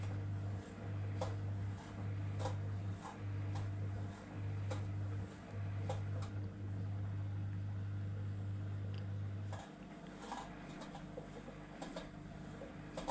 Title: Samsung EcoBubble making weird noises @Chris Conroy @WashingLad2009